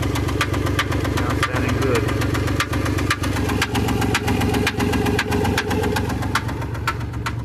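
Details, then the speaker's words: Chrysler Pacifica 3.5 V6, 128,000 miles, at idle: a sharp, light tick about twice a second over the engine hum; no codes stored; owner wonders if it is a rocker arm, lifter or misfire. "Chrysler Pacifica. 128,000 miles. It has a tick."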